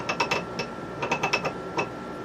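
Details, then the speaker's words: T96 transmission during assembly, input shaft turned by hand in neutral: sharp uneven metallic ticks as the offset brass synchromesh ring hits the adjacent gear; silent when centred. "See, that's really bad. This is synchromesh gears, the brass one. It's hitting this here."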